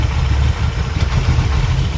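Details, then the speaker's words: 1985 Dodge D150 with 408 stroker small-block Mopar (Comp Cams roller 238/242, Holley 850 carb, MSD), first start after fixing vacuum lines, not run in a while: deep uneven lumpy idle with stumbles, around 400 rpm; rough cold idle. "Okay so starts running a lot better it's a little rough cold it hasn't started in a while but we got to walk right here it's okay here and let it warm up"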